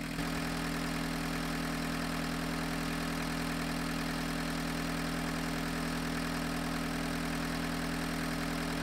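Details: 1985 Volkswagen 1.6L diesel idling with diesel purge circulating through injector pump during roughly 20-minute run: steady, even clatter and constant low drone, no misses or knocks; normal diesel idle.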